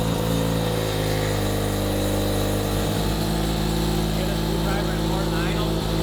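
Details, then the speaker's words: Rotary-engined Corvette, first start, running through repurposed titanium Corvette Z06 exhaust: loud, uneven, lumpy raspy idle over the exhaust drone because an exhaust back-pressure port was left open, not hooked up; rough idle from exhaust leak. "We just didn't hook it up. That's what you hear when you hear the weird sounding idle, but you can see the beautiful smoke billowing out of the Corvette exhaust pipes being repurposed for the rotary engine."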